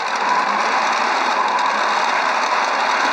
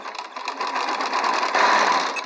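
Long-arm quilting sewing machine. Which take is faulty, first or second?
first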